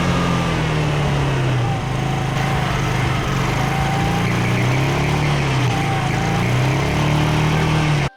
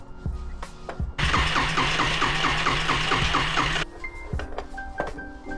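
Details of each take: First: Yamaha Riva 125 single-cylinder scooter running on a Yamaha Vino carburetor after wiring fixes: steady buzz with revs drifting gently, no misses or cutting out; runs fine, but charging only about 11.6 V at mid throttle. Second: Yamaha Riva 125 scooter with good spark confirmed and compression thought good, plug refitted: starter whirs quickly nearly three seconds but never catches; engine flooded, carburetor smells of bad gas and is missing its pilot jet.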